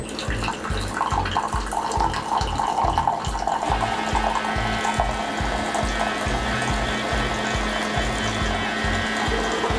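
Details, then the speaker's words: Keurig K-Compact coffee maker during initial setup, after the water has heated: flushing the lines with hot water on the small cup size with no K-cup inserted. Pulsing low pump throb with water hissing and trickling into a cup, steady and even; normal hot water flush. "And then when this 3 lights is blinking blue, you can choose the smaller cup just to flush the lines with hot water."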